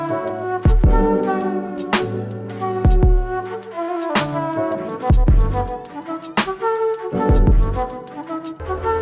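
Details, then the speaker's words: 2005 Toyota Land Cruiser 100 Series front passenger door speaker tested after DIY surround replacement; music plays cleanly with firm bass and clear highs, no buzz or rattle. It sounds like a new speaker, with the rattling fixed. "Alright, so that was a massive success. The speaker sounds like a brand new speaker now. No more rattling and crazy sound."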